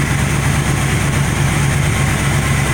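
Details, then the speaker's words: Truck engine, previously with an audible tap from the top end, after Liqui Moly moly and other oil additives: steady low idle with only a faint light patter on top; quiet, healthy idle. "this motor too had a pretty audible teff coming from the top in but when I use these additives and help quiet up the motor quite a bit"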